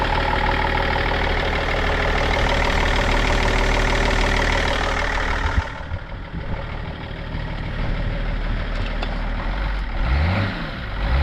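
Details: 2003 BMW E39 530d diesel idling with bonnet up; loud even six-cylinder diesel clatter with steady rhythm, only slight usual diesel knock, no uneven knocking: normal diesel idle.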